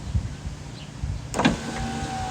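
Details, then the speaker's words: Power window after new window motor and new switch installed: a clunk, then steady even motor whir as the glass travels smoothly without stalling; working normally. "it is the moment of truth i have the new motor installed and a new window switch let's go ahead and give it a go [Music] it works"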